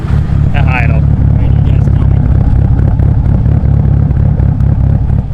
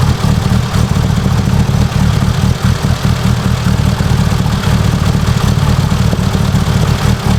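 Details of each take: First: Mitsubishi Evo 8 800whp build with a fresh long block and cams, warmed to operating temperature after some break-in; deep, steady low rumble with an even beat, no knocks, ticks, misses or leaks. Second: Mitsubishi Evo 8 800whp build, first start of the freshly assembled long block after install; loud, steady idle with a faint fast lifter tick while the lifters fill with oil, expected to quiet down; oil pressure good, no leaks.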